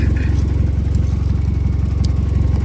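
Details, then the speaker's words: Vauxhall 1.2 engine at idle with P0137 HO2S sensor 2 low voltage code and engine management light: steady idle with rapid chuffing, louder and rawer than normal; cause is a hole in the exhaust ahead of sensor 2. "So the reality is the car, you can hear it's a bit louder than normal, which is making sense why we have this fault code come up and the engine management light. It turns out that there is a hole within the exhaust before sensor 2."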